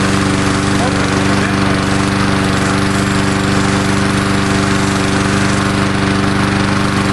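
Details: Murray Dynamark 22 mower, 3.75hp Briggs & Stratton, cold start on fresh gas after sitting unrun about seven years since 2009, smoking slightly: steady, even fast putter, no misses or knocks after starting: normal running.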